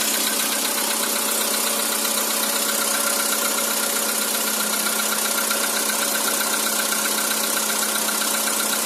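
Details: Cold-start knock on a 2013 Skoda Roomster with CFNA engine: steady, fairly even tapping about four per second through a busy cold idle; source of the knock not yet identified.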